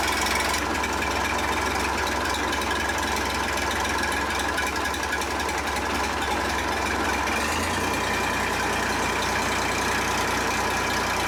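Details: John Deere 350B bulldozer, rebuilt diesel engine: steady, even low idle with a smooth unbroken rumble that settles slightly lower partway through; healthy, normal idle.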